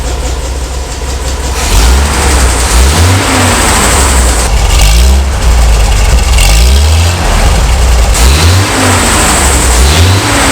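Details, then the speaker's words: A 1975 Bedford truck's 50-year-old petrol engine, after restoration and with the choke fully off, picks up and drops back cleanly on each blip. It has an even, smooth beat with no misfire or knock. "now that's much better it sounds so smooth it it is it's really nice"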